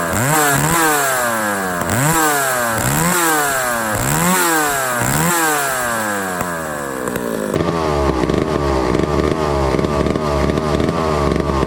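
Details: 1962 McCulloch 1-46 chainsaw, revived after lacking its carburetor and other parts: crisp two-stroke buzz climbs and drops with each throttle blip, then holds a steady high rev; runs clean and healthy.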